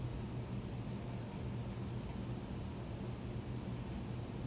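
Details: 52-inch Harbor Breeze Pawtucket ceiling fan, remote-controlled, running with lights on: faint, even low hum with no clicking, wobble or rubbing; fan turns smoothly and quietly.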